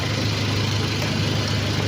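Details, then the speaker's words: Toyota Innova idling with the AC on, charging at 13 V: steady, even low rumble with no misses or knocking, now quiet. The earlier noise and rough running were attributed to spark plugs needing replacement; the muffler still needs repair. "Ayan, tahimik, diba? Oo. Tahimik na, no?"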